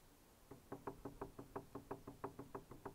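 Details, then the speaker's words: iOptron CEM120 mount with the declination gears engaged, rocked by hand, gives quick hollow clacks about three a second. This is too much backlash in the gear mesh; the RA axis is silent. Recorded before adjusting the declination gear. "hear this movement you know now to me over just this short distance we've Tom got a long telescope on it to have that rock in it it's just too much"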